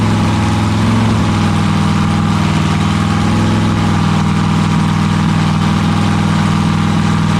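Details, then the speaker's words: Freshly built 7.0 L (427 ci) LSX V8 on a brief start: loud, even burble at a high idle averaging about 1,666 rpm, no knocks or misses; runs pretty good, owner unsure if the high idle is a vacuum leak or the tune. "so just like that it starts up sounds like it runs pretty good i only let it run for a few seconds"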